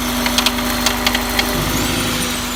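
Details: Honda S2000 F20C at idle, with new OEM Honda timing chain tensioner, rod bearings OK, thrust bearing in spec, head, cams and retainers OK: a few sharp irregular ticks over a steady idle; source unknown.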